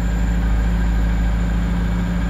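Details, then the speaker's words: 2002 Kia Visto with unstable rpm, engine revved: steady fast even hum that never drops back to idle; owner suspects dirty or faulty idle speed control (ISC) valve. "Nah bunyi mesin itu tidak turun idle tidak turun selalu tinggi seperti ini seperti itu teman-teman"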